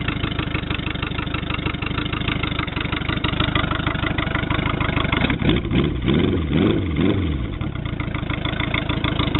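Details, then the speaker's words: 1985 Honda Goldwing GL1200A bobber flat-four idling after startup: fast steady pulsing idle, briefly lumpy midway then settling into an even beat; healthy. "They never sound good on here when you start them up, but"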